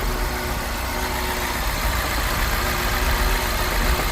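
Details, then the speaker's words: 2007 Mini Cooper S from an ice-cold start, running rough: uneven, stumbling idle with popping and missing. Cause not yet found. "So we'll start it together just so we can hear it from an ice cold start, see what we all think. Let's have a little listen. Ooh. Definitely popping and missing."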